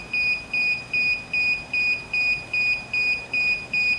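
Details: DJI Phantom 4 remote controller at first power-on: regular high beeps about 2.5 per second in a quiet room. This warns that the sticks need calibration.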